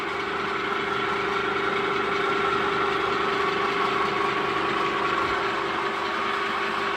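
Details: New 3-meter screw conveyor on its factory test run after fitting the motor and reducer: steady, even whir with a constant mid-pitched hum from motor and gearbox, no knocks or grinding; normal running.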